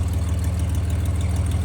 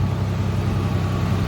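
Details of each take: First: 1986 Nissan 300ZX, first start after a new crank angle sensor, spark plugs and cables with the ignition timing advanced: uneven, lumpy low idle with a wavering note that steadies a little. Engine running rough, cause unclear. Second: 1986 Nissan 300ZX, 10 minutes after starting and warm with temperature mid-gauge, after new ignition parts: low, even idle hum with no misses, ticks or knocks. Smooth; owner suspects rings will seat.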